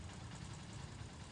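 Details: Honda TMX Supremo single-cylinder motorcycle after cleaning oil pump and strainer for a no-start problem: now runs with a soft, even low putter at idle, no rattle or tapping; normal idle.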